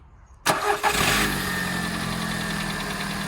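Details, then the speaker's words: Skoda Fabia 2 estate after fitting new water pump, belts, idler and tensioner, first start: fires straight up, flares briefly, then settles to a smooth, even idle with no rattle; rattle fixed. "Yeah, it's a lot better. Yeah, solved it."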